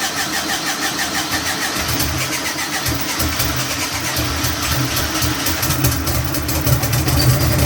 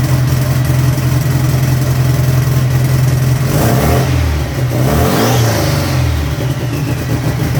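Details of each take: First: Turbo air-cooled VW engine on the dyno, first start after the fuel pump primes: long uneven cranking with ragged firing that struggles to catch and settle; primary (priming) fuel sounds way too low for an easy start. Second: Turbo air-cooled VW flat-four on the dyno, just after starting: even throaty beat, revs up and down crisply, with a faint rising turbo whistle after each rev.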